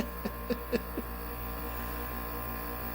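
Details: Man-cave air conditioner: steady low mains-frequency buzz after a few clicks, constant even when plugged in and switched off; unit also blows and kicks on by itself; owner suspects electrical problems, cause unknown.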